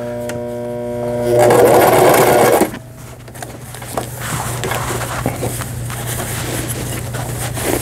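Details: Brother XL5500 sewing machine after a full repair for a bent needle bar, sewing a rolled hem. A short hum, then quick, even stitching chatter at about four per second with no knocks or grinding; normal running.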